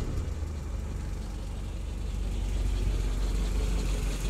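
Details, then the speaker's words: Willys Jeep after rebuild, not yet warm, slightly rich on choke: steady even fast idle about three beats per second, no misses or knocks, healthy. "then you can probably hear it's got a nice smooth fast idle"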